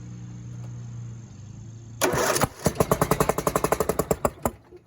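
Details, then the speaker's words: John Deere D125 small twin engine, started with a 12 V jumper box, cranks then pops sharply about seven times a second back through the carburetor; running on one cylinder, the other bad, right cylinder oily. "you see it pop it'll start because it's running on one cylinder but it's popping out the carburetor which means one cylinder is bad one cylinder is running one cylinder is popping"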